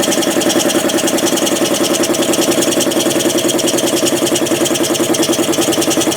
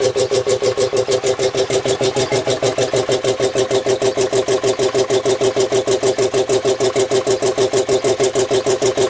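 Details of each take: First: Home-built air compressor from spare parts, 3/4 hp motor driving a pump that wants 5 hp, refilled with 30-weight oil, copper coil cooling line: fast even pumping chug about 3.5 beats/sec with hiss of pressure leaking past the piston rings; needs a check valve. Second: Home-built air compressor, tank max thought to be about 125 psi, used for a year; fast, even, steady pumping with no knocks or misses while filling tank; running healthy.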